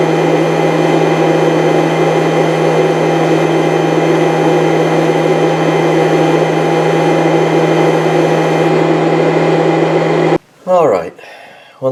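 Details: 1998 Chaparral, Mercruiser 305 (5.0) V8 carbureted Alpha1 sterndrive running rough/misfiring: flow test after fitting new fuel filter, steady even electric whir then clean cutoff; fuel pump okay, old filter probably okay.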